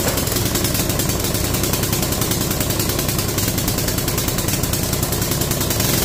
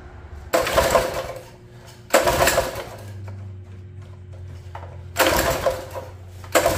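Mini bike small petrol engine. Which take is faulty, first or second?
second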